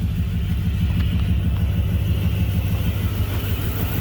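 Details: 1998 Dodge Durango single-cam V8 on first fire-up after a timing chain replacement (it previously logged P0300 multiple misfires). Oil pressure is confirmed and there are no codes. A deep, even low rumble with no misses; smooth idle.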